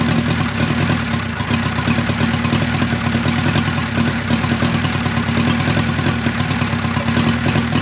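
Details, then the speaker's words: 1955 Renault 4CV, off the road since 1970, engine once frozen (pistons, cam, lifters, rockers) now freed, running with fuel pump, carburetor and coolant fitted; steady, even idle with a smooth low drone, no knocks or misses, sounds healthy. "well there you have it that little engine actually sounds good"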